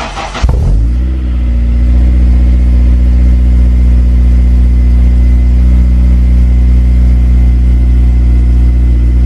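Quick crank, then it catches and settles straight into a steady, even idle with no stumble; a healthy cold start.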